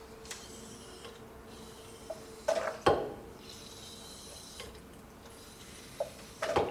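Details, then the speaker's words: BMW E38 750iL hydraulic shock absorber (no bleed points) being bled with hose into inverted oil bottle, shock pumped in and out; short wet sputtering bursts each stroke as air leaves into the bottle. "time when you hear that fart noise, it means this air is leaving the shock and it's going into the bottle."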